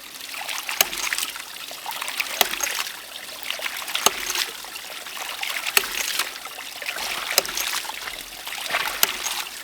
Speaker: This is a 1-inch ram pump, and it has a stainless steel valve that closes with a good bit of force and sounds pretty loud.